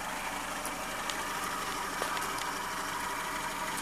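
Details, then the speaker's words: 1999 Renault Megane petrol at idle: faint steady mid-pitched whine over a smooth idle; owner also reports a hum and a clatter when revved, source undiagnosed; whine at idle. "it's got a bit of a wine to it yeah it does make some funny noises"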